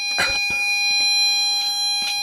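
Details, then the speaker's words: LM386N 0.5 W audio amplifier at 200x gain, loudspeaker output. A harsh, buzzy tone near 800 Hz with edgy overtones. Excessive gain is clipping sine waves into square waves; the planned fix is about 50x gain plus a preamplifier. "when you say this you can surely see that the amplification is far too high that means that sine waves are changed into square waves and that's happening here"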